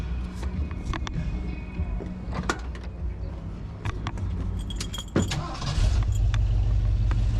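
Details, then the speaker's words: Carbureted old Ford Bronco after new brake booster install, carb mixture preset about a turn and a half: keys rattle, engine catches into an uneven, lumpy rough idle with odd vacuum behavior; owners suspect it's sucking air somewhere or the accelerator pump needs adjusting, cause unconfirmed. "Sounds like it's sucking air from somewhere. We can't quite figure it out."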